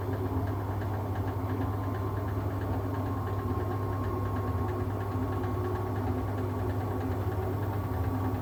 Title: Siemens - strange noise